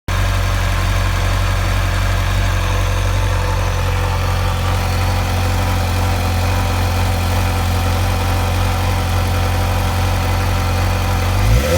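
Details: 2008 Suzuki GSX-R 600 four-cylinder at idle: a loose, clattery engine rattle over a steady hum, which seems more noticeable when letting off the throttle; cause unknown.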